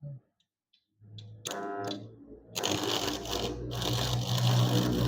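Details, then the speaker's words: Ryota arc welder transformer, in use about 20 years and drawing roughly 7000 W, welding after its fan was replaced, set at 150 A (range to 315 A) with RB 26 rod; a rough frying hiss over a low hum, normal operation with strong power. "Seperti itu teman-teman. Memang suaranya sedikit kasar ya, tapi powernya itu sangat besar ya."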